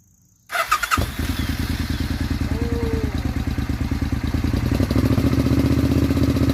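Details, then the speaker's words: Suzuki Intruder 800 V-twin after spark plugs replaced, cured of popping and backfiring; catches quickly and settles into an even loping beat of about three pulses a second, with no hiccups or misfires; normal idle. "Well, I think it is much smoother. There's no more hiccups, no more popping noises, no more backfiring or misfiring."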